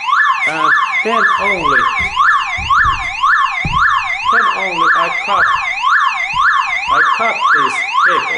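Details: Car alarm siren keeps a steady up-and-down wail about two cycles per second after its wires are cut, powered by its internal backup battery, so the siren must be removed.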